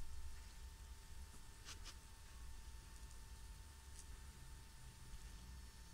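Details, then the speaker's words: VW Sharan 7N2 2.0 TDI 150hp after a diesel filter change: the lift pump, activated via VCDS to bleed the circuit and running about one minute, makes a faint, steady electric hum with a thin high note. This is normal priming. "et là la pompe se déclenche. En cours. Il va fonctionner pendant plus ou moins 1 minute, et puis il va s'arrêter."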